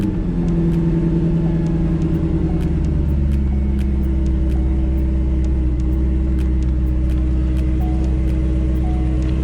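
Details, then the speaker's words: C5 Corvette LS6 V8 at idle on a cold, windy day (about 40°F), after belt refitted to cure a bird-like squeak (harmonic balancer ruled out): smooth, even low rumble with no squeak or chirp. Normal idle after repair. "all right everything sounds good looks good i'm happy i got that done happy that's over with no more squeaking finally i can drive this car again"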